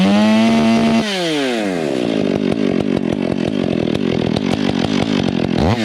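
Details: Stihl MS 461 with Westcoast Saws dogs, bark box and Maxflow air filter, limiters removed, retuned, still breaking in: revs climb, then a burbly, uneven stutter while cutting instead of a clean scream; mixture set rich, four-stroking.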